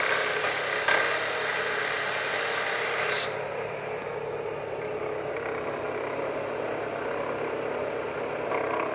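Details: Ford Zetec Rocam 1.6 at idle: fast, fairly regular tapping about 220 a minute that sounds deep inside the block, but it comes from a worn idler/drive pulley on the left side of the engine.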